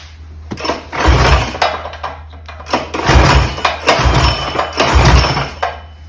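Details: Mega Moto 212 mini bike, modified Predator Hemi with Mikuni carburetor, after idle tuning: single-cylinder runs and picks up cleanly through several quick throttle blips, settling back each time without stalling.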